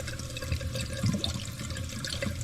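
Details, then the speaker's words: Old toilet before replacement, jets clogged with mineral deposits and fill valve no longer cutting off water; constant quiet trickle and hiss that never stops; running toilet, fill valve not shutting off. "It's not stopping. It's a running toilet too."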